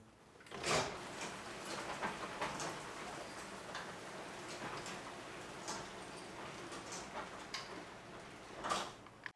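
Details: Sectional garage door after a tune-up (worn steel rollers replaced with nylon ball-bearing rollers, tracks aligned, springs balanced) runs quietly, with only a soft rolling hiss and a few light clicks: normal operation.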